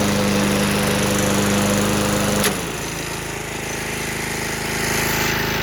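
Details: Believed late-1980s Toro GTS push mower, model 20622, original 5hp Suzuki engine, 3-speed self-propelled, with blade clutch instead of throttle hold-down, found in a shed. Steady even beat, tone drops and settles as the blade clutch engages; runs healthy unattended.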